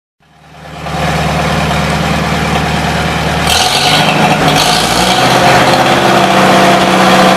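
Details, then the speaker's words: 1953 Farmall Super H tractor, cold day, running on fresh gas with 12-volt coil on a jump box: catches and settles into a steady, even, smooth idle; runs well, though the carburetor leaks. "runs damn good that's fresh gas now I'm happy"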